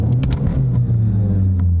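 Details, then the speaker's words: Car that vibrates and sets codes P0171 (fuel trim lean) and P2101 (throttle actuator), short-term fuel trim about +34, on first start and first throttle blip: settles into a steady low rumble that stays slightly fast; high idle from a vacuum leak. "en el arranque o en el primer arranque al primer pisotón se queda bien acelerado eso no me lo reportó el dueño"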